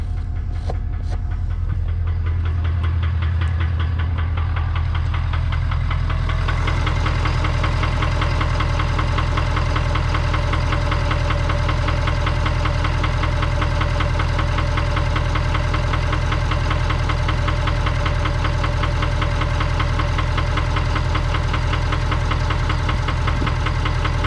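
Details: 2019 Ford F-250 King Ranch 6.7 Powerstroke V8 diesel, 117,000 miles: heavy steady low idle rumble with a regular knocking beat, engine knock later fixed by swapping in a junkyard 2017 6.7 engine.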